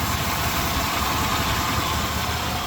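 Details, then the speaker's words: 1993 GMC Sierra 4.3 V6 after replacing a bad, wobbling pulley that caused knocking. Steady, smooth idle with an even hum and no knock or rattle from the belt drive; the pulley no longer wobbles. Normal idle after repair. "that's not bad yeah so everything looks like it's running smoothly"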